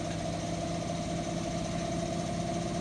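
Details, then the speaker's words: Indesit washing machine after drum bearing replacement, which required cutting the drum housing: steady, even high-speed spin hum with no rumble, grinding or knocking; a vast improvement over the noisy bearings before. "no problems amazing difference new bearings have made picking up speed now about 20 minutes left on the cycle so no issues whatsoever"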